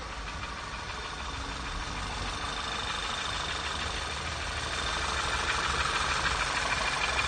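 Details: 2012 VW Passat CC 2.0 TSI (EA888 gen 1, CCT), 189,000 km, cold start on fresh oil, oil changed only every 10,000 km: sharp, even metallic knock about three times a second over idle, unchanged; piston knock, teardown found the third cylinder scored.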